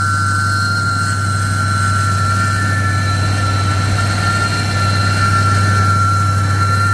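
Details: 1966 AMC Marlin 327 V8 with Holley 4-barrel, timing and fuel still being tuned, started after pumping the gas: a loud steady roar of rushing air over the idle; the fan clutch is locked and the fan spins full time.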